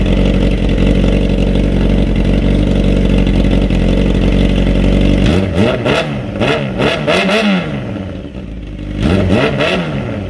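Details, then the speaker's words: 30-year-old 1995 Honda CBR 600F3 under restoration, with a newly fitted louder exhaust that has a dB cutter, warming up. Smooth even idle, then quick throttle blips that climb and drop cleanly with a deep crisp note; normal revving. "Oh yeah, it sounds way better. I love that sound."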